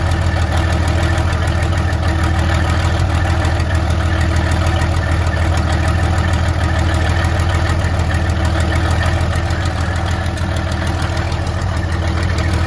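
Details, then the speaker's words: 1972 Freightliner cabover diesel truck, first run after 27 years: deep, uneven idle with a lumpy beat about three times a second, still missing on a few cylinders, "just clearing some holes out"; rough idle, misfiring cylinders suspected, not confirmed; about 80 psi oil pressure afterward. "I didn't think she ain't trying to run away. It's clearing. It's just clearing some holes out."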